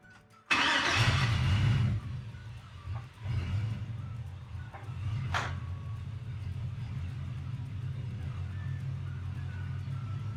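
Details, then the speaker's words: LS-swapped Chevy C10 converted from carburetor to stock fuel injection, first start after wiring ignition straight to the battery. Cranks, catches, then a rough, lumpy, stumbling idle; many misfires, later traced to clogged fuel injectors. "Alright, so I got it running and had a misfire. Actually had a lot of them."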